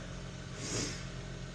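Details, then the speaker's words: 2010 Honda Civic with a no-crank no-start complaint despite a customer-replaced battery, jump pack attached at 11.7 V: engine catches and settles into a smooth, steady low hum with one brief rise; dead battery suspected. "Okay. Oh, the vehicle started right up."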